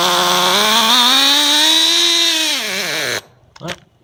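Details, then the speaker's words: HSP/Exceed RC Thunderfire 1/16 nitro car after clutch replacement, run a little richer than usual aiming for about 200 degrees; high buzz rises, holds, sags and cuts out; clutch engagement rpm high, new clutch spring expected to loosen. "it sounds like it's running pretty well if not a little high I expect the clutch spring to slowly loosen up and lower that engagement rpm"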